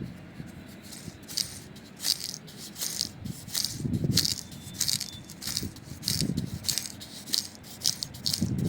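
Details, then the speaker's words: 1984 Toyota Celica Supra mk2 engine, removed tensioner pulley spun by hand: repeated bursts of dry, gritty rattling from its worn bearing, being replaced. "That would have been so noisy, so I'm glad we're replacing all of this."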